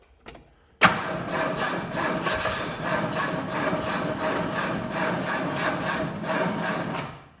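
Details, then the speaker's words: 1923 Ford Model TT that had not run in over 10 years, with a replaced starter on a weak battery: a sharp clunk, then rough scraping cranking for six seconds with no start; the starter sticks. "Um, that starter sounds like he's sticking, but let's let's give it a go."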